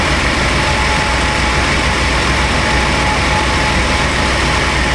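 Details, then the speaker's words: 1996 Chevy Astro van V6 idling after replacement of a leaking spider injector that had caused misfires and very rich running: a steady, even idle with no skips, stumbles or surging. Normal idle after repair. "Well, let's go into some live data, see what our fuel trims and such look like. Smooth as a kid."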